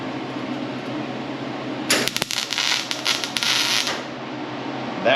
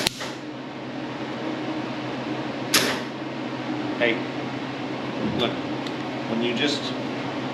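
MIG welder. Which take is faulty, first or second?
second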